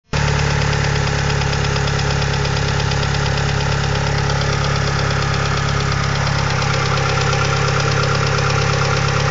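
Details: 2G DSM engine at steady idle with fast, light, even lifter tick about four per second; fixed by installing upgraded 3G lifters.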